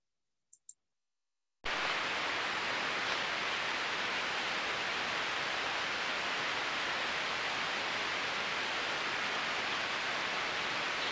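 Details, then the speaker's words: Ultrasound on a good extremely slow-speed bearing, which generates very little ultrasound: smooth, uniform white noise with no clicks or impacts. A healthy bearing. "smooth uniform white noise that's just what we want to hear"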